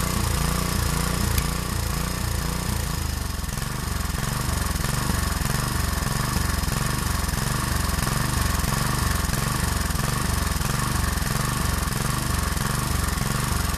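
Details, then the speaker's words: Harbor Freight 6.5 HP Honda-clone engine after a new carburetor install; a misplaced gasket was thought to have been blocking an air hole. The single cylinder runs with a loping beat, speed rising and falling about every second, surging for unknown reasons. "I'll start it up it does surge a little bit I'm not quite sure why but it is running"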